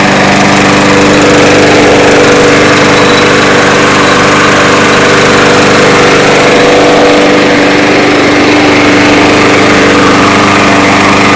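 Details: Yard Machines mower with a newer Briggs engine, after repairing the plastic carburetor and emptying old gas. It runs loud and steady with an even buzz and no misses or surging: running normally after the repair.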